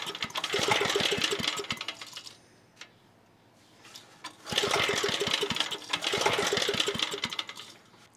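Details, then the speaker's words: 1980s Onan (C80) generator: fires in ragged bursts, stumbles and dies, catches again briefly; owner suspects fuel starvation from carburetor since spark is good and it runs on starting fluid, carburetor diaphragm examined. "What I think is going on here is that we aren't getting enough fuel, because I can kind of get it, well, not kind of, I can get it to keep running on starting fluid."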